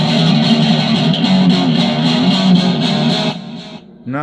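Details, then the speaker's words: DigiTech Twin Tube GFX1 rack guitar preamp after the 12AT7 was replaced with a 12AX7 with settings unchanged: thick, saturated tone with full crunch and sustain and no thin clean sound, so the distortion is back to normal. "No, it's definitely screaming now."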